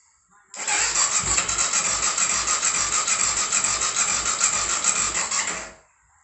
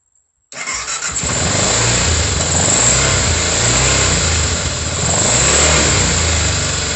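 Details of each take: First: 2004 BMW F650 GS Twin Spark, first start after engine reinstall: starter whirrs with even compression beats about three a second for five seconds but never catches. Crank, no start; owner suspects an oil pressure sensor fault is stopping the spark. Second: 2004 BMW F650 GS single-cylinder fuel-injected engine, first start after reinstalling it in the frame, no coolant yet; catches quickly and settles into a steady thumping run with clean revs for several seconds, then shuts off: normal start.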